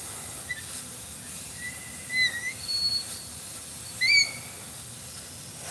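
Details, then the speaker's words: Semi trailer during inspection, six axles, low tire pressure: thin, high whistle over a soft hiss, rising and wavering in pitch, from an air leak, possibly at a loose fitting. "see that y hear that thing screaming we definitely got to fix that"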